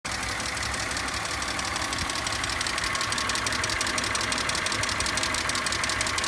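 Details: BMW E46 petrol engine at idle: fast, regular, crisp ticking, about three clicks a second, over the engine hum.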